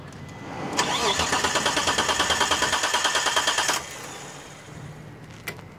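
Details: 1991 Dodge Stealth R/T: starter cranks evenly, about three turns a second for about three seconds, but the engine never catches or fires; crank no start.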